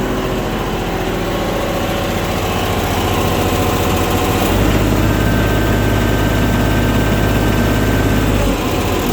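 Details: Bobcat 553 diesel after the noise was traced to the oil pan drain hose and plug: steady, even idle with a firm low beat and no slapping or knocking; normal running.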